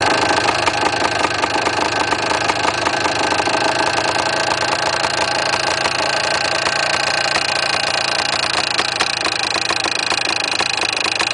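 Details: Yamaha DT400 two-stroke at idle: an irregular metallic rattle about twice a second rides over a buzzy idle, from inside the engine. The cause is unknown and the owner plans to open the engine.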